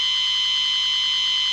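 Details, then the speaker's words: Intelbras Conecta PBX with no extension dial tone, heard through a microphone at op-amp terminal 1 and the matrix terminal: steady high tone buried under constant hiss instead of a clean dial tone; noisy dial tone, matrix suspected. "Eu vou dessoldar o terminal de número 1 do amplificador operacional para ver se some esse chiado, para ver se o problema está aqui ou se está na matriz."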